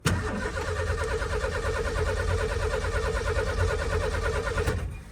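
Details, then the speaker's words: 1989 Ford F-150 XLT Lariat EFI, after a new gas tank was fitted, with about four gallons in the tank: steady cranking about three turns a second, then it fires and runs, which it didn't before. Normal start. "looks like she's running it wasn't doing this before we only have four gallons of gas"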